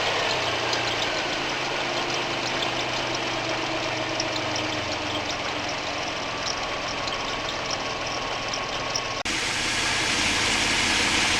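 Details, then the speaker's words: Mitsubishi, cold start at 8° after sitting 3 weeks, after fuel pressure loss fix: steady even idle with light tick as it warms, squeaky alternator squeal almost gone. Slight fuel pressure loss remains. Normal warm idle. "The squeaking's almost stopped now."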